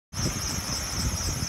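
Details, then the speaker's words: BMW 728i E38 idling: steady high-pitched squeal throughout; workshops attribute it to the serpentine belt, with tensioner and idler pulley also to be replaced. "Also, ihr hört das bestimmt schon, der quietscht. Und woran liegt das? Ich war bei 3-4 Werkstätten gewesen und auch bei BMW. Und die haben mir gesagt, dass es wohl am Keilriemen liegt."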